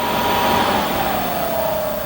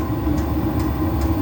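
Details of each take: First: Diesel heater that had been working the day before, throwing error E-06 (fan not turning or no fan signal): fan whine rises then sags with no burner roar, and the glow plug never heats because the controller can't detect fan speed. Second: Diesel heater, earlier throwing error E-06 (fan not turning), reinstated and fired up with no parts fixed, possibly an intermittent fault: steady low fan and combustion rumble with a soft fuel-pump tick about every 0.4 s, burning normally.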